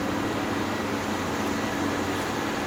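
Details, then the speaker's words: GE Profile air conditioner, curb find, on cool at 61, fan on high: steady even fan whoosh with faint hum, no compressor kick-in or load change; compressor won't start. "On high. It's on high. Fan. Yeah. No compressor. Still has a problem."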